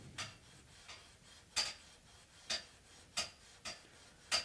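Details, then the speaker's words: Steam pipes in a quiet room heating up, irregular sharp ticks and knocks about every 0.7 seconds; steam pipe banging. "okay so I don't know if you hear the banging steam pipes I'm not sure if this mic picks it"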